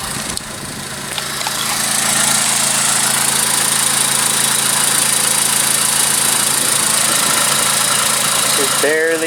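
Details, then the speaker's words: 2001-2005 Honda Civic started after a DIY spark plug change: the engine catches and settles into a steady, even idle with a light hum, only slight typical vibration, nothing knocking or missing; a normal idle. "That's typical with these engines. So you're gonna have a little bit of vibration from these engines, but not a lot."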